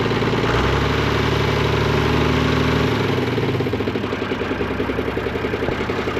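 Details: Hay-raking tractor at low idle: a rapid chatter of three to four pulses a second from the recently replaced front hydraulic pump. The owner suspects it never worked right and says it must be idled up to get fluid to the pump.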